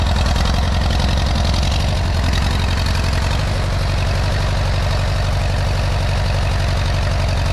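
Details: 1957 Allis Chalmers B-series tractor, first start after sitting a couple of years in snow: deep, lumpy idle with an uneven stumbling beat; running rough and cranky from long storage, needs more run time.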